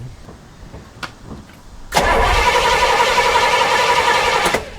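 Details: 1968 Pontiac LeMans V8 after sitting 23 years cranks with a steady chug of about four beats a second and doesn't catch after backfiring, possibly flooded; ignition timing was off, not set at top dead center.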